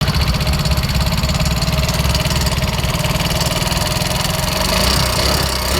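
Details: Yamaha Mio Soul GT 125 with a rattling engine that smokes heavily: a fast, steady metallic rattle over a lumpy single-cylinder idle. The usual cause is a worn, loose rocker arm bearing.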